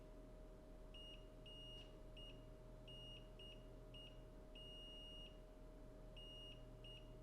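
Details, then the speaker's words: Continuity test on the VCC main line of a water-damaged phone board near the power management chip: repeated sharp beeps show at least a partial short to ground, confirmed at 0.049 ohms where about 0.5 is expected; suspected shorted capacitor. "so there is at least a partial short. You can hear that, like, that should not beep."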